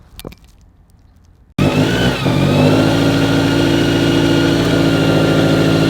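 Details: Toyota 86/Subaru BRZ/FR-S with newly installed Kraftwerks supercharger and header, first start after priming blower oiling system and holding 2500 rpm; catches and settles into steady, even idle with faint clean blower whine: normal.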